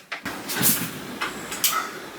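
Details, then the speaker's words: Mk7 Auto Drive on new Dillon 750XL reloading press with new caliber conversion kit, first powered test running once up and once down; short motor whir bursts with clacks at each stroke end, no binding; normal full-stroke cycle. "I'm going to very quickly run once up and once down."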